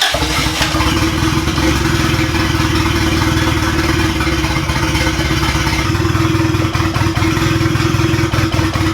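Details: Turbocharged B18 Honda Civic EG hatch, first start attempts: uneven, lumpy beat with clatter over steady low drone, running rough; low compression suspected, not confirmed.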